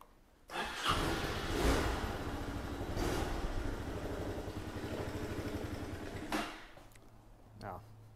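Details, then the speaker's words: 2006 Honda Big Ruckus scooter, cold, first start after a fuel filter change: slow cranking stutters, then it catches and settles into a quick, even single-cylinder beat; clean, normal cold start. "she's cold there we go everything sounds good"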